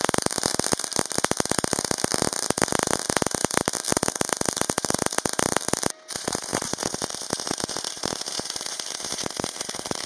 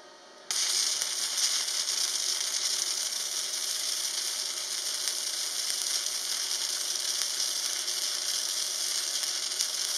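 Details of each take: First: Parkside PMSG 200A2 multi-process welder, MAG on 8 mm plate with 60° bevel, 2 mm gap, 0.8 mm wire: steady dense bacon-frying crackle with one brief pause; stable arc, result satisfactory but at its thickness limit. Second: Parkside PMSG 200A2 welder, gasless flux-core on 3 mm sheet at 19 V/140 A with polarity left reversed: even crackling sizzle steady through the pass; correct result but would be better with correct polarity.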